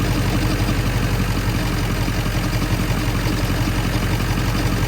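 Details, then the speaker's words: 1997 Ford F-350 7.3L Powerstroke diesel, 164,000 miles, warm idle, stethoscope on front pulleys: loose, uneven knocking around three a second, loudest at the alternator pulley; first sounded like rod knock, traced to failing alternator bearing. "a lot louder right there a little bit there too it might be one of these pulleys right here it sounds like it's coming from right in here"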